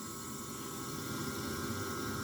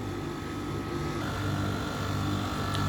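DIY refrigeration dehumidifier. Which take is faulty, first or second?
first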